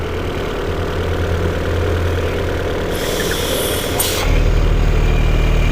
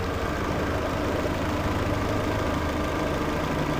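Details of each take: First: Peugeot 408 at idle: fast, fairly even flutter about three per second that stops when the oil filler cap is removed and returns when refitted; noise from a faulty valve cover PCV valve, fixed by replacing the cover, not the timing belt. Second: 2012 Peugeot 408 on lift, after replacing the cover that caused a timing-belt-like engine noise: even, steady low hum with no tapping or rattle; idles smoothly and quietly.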